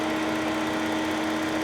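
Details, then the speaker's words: Smooth steady idle with constant low hum and cooling fan rush, no knocks or misses, auction car with A/C compressor working; healthy idle. "yeah she runs good the fan is turning the engine is on everything is fine"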